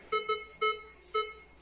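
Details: Metal detector with 8-inch coil, volume at maximum, sweeping over a target: four short, clear mid-pitched beeps within about a second in a quiet room; normal target response.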